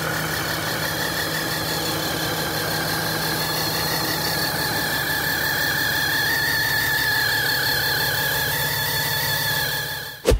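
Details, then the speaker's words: RAM 3500 diesel after a shop repair of a warped exhaust manifold, with missing gaskets and loose bolts; leak got worse after one DIY reassembly: idle with a rough puffing tick about twice a second. Exhaust manifold leak. "I've actually had it all out once and all back together again only to find that the exhaust leak was worse which was a real bummer"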